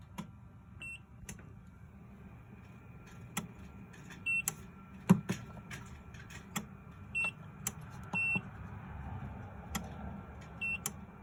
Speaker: clicking sound and the beeping.